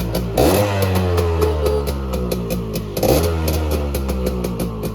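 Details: Honda Nova R two-stroke single, fully original parts, new paint, all lights working: it runs evenly, and two quick throttle blips climb and settle cleanly; sounds healthy and crisp, normal running.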